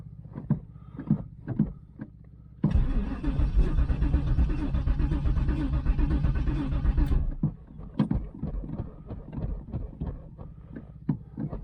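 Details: 1996 Pontiac Trans Am, LT1 5.7, bought as a non-runner said to have no spark or fuel; with a fuel pump just hooked up and a new filter, the starter churns about four seconds with even compression beats but never catches: cranking no-start.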